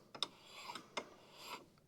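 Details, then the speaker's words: Toro Super Recycler mower, noisy with blade engaged, after belt, bearing and pulley work: pulley turned by hand gives soft swishes and light ticks with no grinding; just normal light rub of the free belt. "the only thing you're hearing is just the belt rub and the belt is free"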